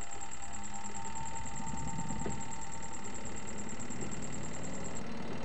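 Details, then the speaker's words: Sharp twin-tub washing machine spinner that previously would not turn or only hummed, after adjusting the brake pad with the spin lid closed: motor runs up with a steady even hum, no grinding or stalling buzz; spin drum turning freely, fixed. "Alhamdulillah dinamonya mau Berputar Kembali ya teman-teman berarti menandakan Kampas remnya ini setelannya sudah oke ya"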